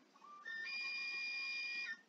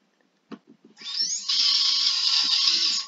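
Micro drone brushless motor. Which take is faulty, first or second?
second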